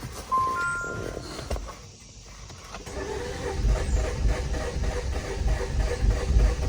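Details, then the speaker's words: 2018 Jeep Compass Latitude with light damage and a nearly dead key fob battery: starter turns the engine over in a steady chug at three to four beats a second but it never fires. Cause unconfirmed. Crank no start. "interesting it does not want to fire it just turns over a bunch of times"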